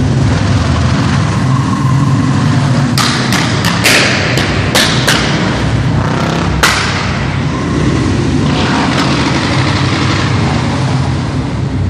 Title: Royal enfield misfire